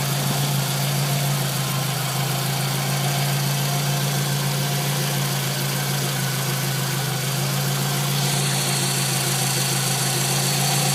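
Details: Scion tC after installing a new water pump (old pump's bearing felt gritty): smooth, even idle with steady low hum, no scraping or scratchy whirr from the front of the engine; sounds healthy.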